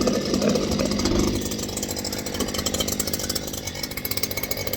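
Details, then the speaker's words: Stihl hedge trimmer, previously sluggish, after quick repair: high buzzing two-stroke note with quick steady firing rhythm, revving and settling evenly; running properly. "So it's a little screamer now."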